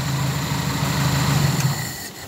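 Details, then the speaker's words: Owner-type jeep (4K engine), previously hard starting and misfiring especially in traffic; after spark plug/high-tension wire check and plugs reinstalled, starts with one click and idles steadily with a low even hum, no stumble, no throttle needed: normal idle. "sige okay yan oh kahit hindi mo inaano yung silinyador Okay na yan"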